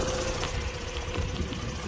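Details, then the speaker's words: 2006 Mazda RX-8 rotary at warm idle during coil-pack testing: uneven, lumpy beat with irregular low thumps instead of a smooth hum. The rotary runs rough. "okay so you can hear the lumpiness that's fine the first lead"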